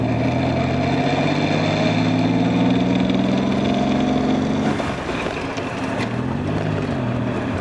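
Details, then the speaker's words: Nissan Z31 on one of its first drives after a new transmission, engine harness and fuel system; window up under throttle, a steady whine climbs with road speed and fades off-throttle. Transmission noise; gearbox bearing suspected, not confirmed. "i'll roll my window up when i give it some gas up here that way you guys can really hear the transmission itself"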